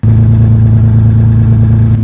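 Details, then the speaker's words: 1998 Toyota Tacoma, 243,000 miles, idling in a closed garage: deep, loud, steady idle with a heavy low throb. Rusted-out muffler leaking exhaust up through the bed, rusting the metal. "But the muffler has been letting exhaust come up through the bed of the truck and rusting away the metal."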